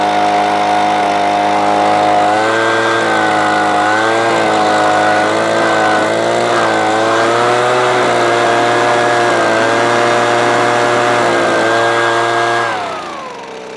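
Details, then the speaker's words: Titan leaf blower that would not run, safety switches bypassed leaving only on/off switch, choked, primed and started: steady even high-pitched two-stroke drone then clean wind-down when switched off; runs normally. "So we've now got a working leaf blower that you can turn on and off as you need to."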